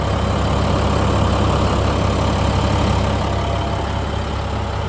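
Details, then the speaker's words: 2014 International 4300 Durastar diesel service crane truck: steady low rumble and even clatter at idle, no misses or knocks. Normal idle. "The engine sounds great."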